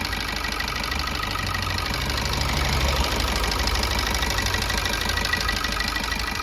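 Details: 2021 Maruti Swift Dzire petrol engine with 118,000 km, idling after the timing chain was replaced: a smooth, even hum with a soft steady beat and no rattle or tapping. It is running normally.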